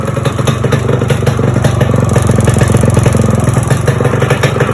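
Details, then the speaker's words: Yamaha RX 100 two-stroke during rebuild, first start: loud, ragged idle with sharp popping puffs, exhaust blowing at the front header joint; owner plans to fit a new gasket to quiet it. "It's leaking from the front. So I think, yeah, that can be fixed."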